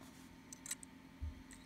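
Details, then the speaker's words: Hard drive in an Xbox One ICON Media Center enclosure connected to a Windows PC through a third-party cable: sharp, irregular clicks about a second apart. The drive kept disconnecting, most likely from too little power rather than a bad drive. "basically when you hear a click like that in any kind of hard drive it could be a bad drive but it's more commonly just you don't have enough power provided to the drive itself"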